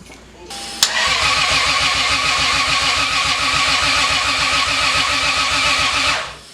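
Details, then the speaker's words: Big-turbo Lexus GS300 after a year and a half off the road, coil packs plugged in: steady starter cranking about five seconds with no firing; extended crank no start, ECU kept reverting to the default tune. "Yeah, for the first one I forgot to plug my coil packs in, but then we just kept trying, and it just wasn't really working."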